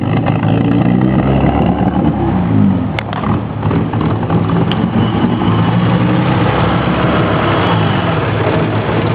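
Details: BMW E30 engine at idle: the note wavers and stumbles unevenly instead of holding a smooth beat, level dipping now and then: rough idle.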